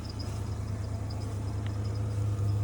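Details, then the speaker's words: 1994 Ford F-150 with a 302 V8, sat over a month, just driven home, hard to get into gear: deep, smooth, even V8 idle with steady rumble, no knock, faint light chirp (drive belt seems to move around); healthy normal idle. "difficult to get it to go in gear but it does uh it idle really really smooth doesn't it"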